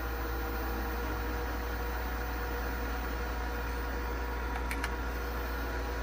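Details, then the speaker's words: SolarEdge inverter starting up after an optimizer replacement: steady loud droning hum with low rumble and fixed whirring tones from the cooling fans, which sound terrible, alongside grid isolation relay clicks during startup self-test. "fans sound terrible on this thing"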